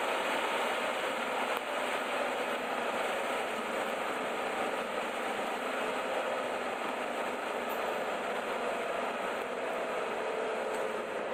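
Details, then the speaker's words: 2002 Chevy S-10 ZR2 pickup driving on the road: a low humming drone under road noise that eases down in pitch as it slows, from a worn wheel bearing most audible at lower speed. "I can really hear that wheel bearing now. Lower speed right there."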